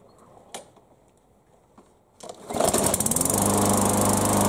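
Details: Yard Machines mower after no-start repair, with fresh fuel, primed two or three times; a few quiet clicks, then it fires on the pull and settles into a steady, even run without sputtering; normal running.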